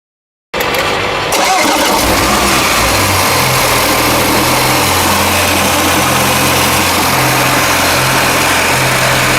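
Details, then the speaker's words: Water-damaged Porsche Macan after rebuild and alternator repair with a second-hand bearing: engine catches quickly and settles into a smooth, quiet, even idle with no alternator whine; normal idle. "So, he sorted out the alternator for free, just labor. And now, you can barely hear the Porsche Macan when it's idling."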